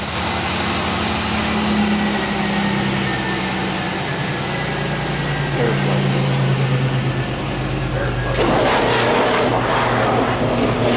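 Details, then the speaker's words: Car in a school auto shop started after checking sensor data (manifold air temp reading 77 degrees): it runs at a steady, even, smooth low idle, sounding better than before, with mass airflow rising to 46 grams per second. "sounds good it does sounds better than it did it's not as there we go i saw 46 grams per second nice airflow went up and cool"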